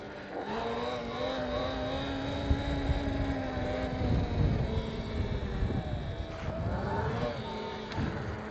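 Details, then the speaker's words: Electric motorbike (E-Ride Pro SS / Sur-Ron / Talaria type) after squealing brake fix, pads sanded and anti-squeal paste applied: motor hum winds down as the rear brake bites, no squeal or scraping; brakes now quiet. "Da hat das voll lange gehalten. So. ist nix, ne? Kein Quietschen, nix."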